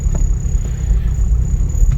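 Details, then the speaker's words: 1997 Civic EJ8 with a built LSVTEC turbo on E85 and a remote-mounted K-Tuned IACV, warmed up to 178 degrees. Low, steady rumble as it idles on its own with foot off the gas, no hunting or misses. Normal warm idle, though a retune is still pending. "all right so I got her up to 178 degrees and wow she's idling got my foot clear off the gas"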